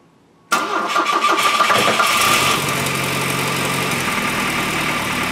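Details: 1973 Volvo 1800 with a swapped early Volvo 240 turbo engine, upgraded turbo and coil-pack ignition, on its first start after changing to a VEMS ECU: silence, then it catches at once and settles into a fairly even idle with a steady mid-pitched hum.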